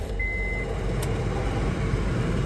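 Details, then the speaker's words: 2007 Honda CR-V at idle; heavy low rumble and rough grinding present even before the AC is switched on, owner suspects the AC compressor clutch bearing, unconfirmed. "I think since the noise was there before I hit the AC button, it's the clutch bearing."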